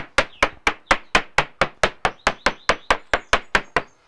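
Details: Maxi 84 fibreglass yacht hull, ball-pein hammer tap test: about sixteen crisp, sharp taps, each ringing bright and dying quickly, indicating solid, dry laminate; moisture readings the same above and below the waterline.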